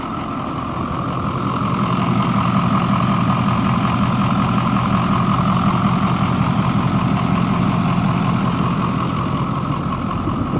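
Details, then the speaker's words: 2006 Ford E-450 Blue Bird 29-passenger minibus, 6.0 L diesel, jump-started with a jump box since it has no batteries and started on starting fluid; steady even idle, low rumble with light regular clatter, no knocks or misses; normal diesel idle. "It's got a 6.0 liter diesel. Motor sounds good."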